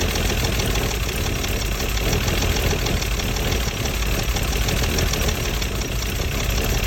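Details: Mercedes W114 280CE idling low and unevenly with a faintly lumpy beat and no steady rhythm; rough idle, cause not clear.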